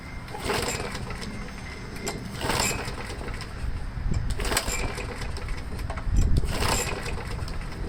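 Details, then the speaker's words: Craftsman 21-inch mower after engine replacement, fresh oil, new spark plug, fresh gas, primed with air filter housing refitted: small single-cylinder engine starts and runs with a fairly even low chug and a few surges; running. "so i stuck the air filter housing back on it and i primed it and let's see if it starts"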